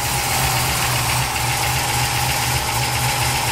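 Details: Freshly reassembled 350 SS V8 with a large Lunati cam, first start. It settles into a fairly even idle with no knocking, though an air compressor and grinder nearly drown it; it later ran out of fuel.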